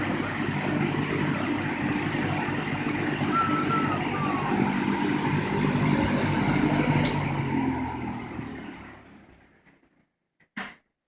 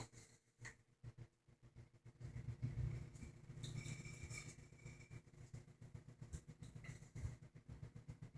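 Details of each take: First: 1960–61 GE W-15 variable speed box fan after full-speed running: steady airy rush with a soft low hum that winds down in its long spin-down and fades out, then a switch click; normal running. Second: 1960 GE W-15 variable-speed box fan on its lowest resistor speed: a low, steady buzz over the slowly turning fan as the loose rear metal grill vibrates and rattles.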